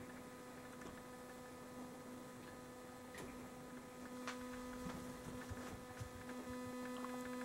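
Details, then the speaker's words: 600W inverter on a small booster pack powering house circuits, about 70 W load: steady low buzz with higher tones and faint irregular ticks; it doesn't like multiple CFL bulb loads but runs them, owner thinks it's probably not good for it. "do you hear that weird sound this doesn't like multiple loads of CFL bulbs but it does run it which is good"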